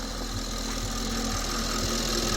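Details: Audi S5 idling on the ground after serpentine belt and squeaky idler/tensioner pulley replacement, bleeding coolant: smooth even idle, soft steady hum, no squeal or chirp; new belt running quietly.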